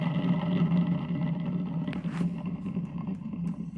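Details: Washing machine with belt removed, motor run free to isolate noise from the drum shaft: steady low hum with rough, wavering growl; worn drive motor, possibly its bearing.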